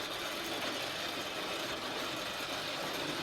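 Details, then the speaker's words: Original motor on a 10-year-old electric roller garage door, cover off: continuous rough, ratchety grinding as the door comes down; owner suspects a gearbox fault inside the motor, not confirmed; it was later replaced. "you get idea of the noise when it's coming down it's a it's really noisy there must be an issue with the gearbox within that motor"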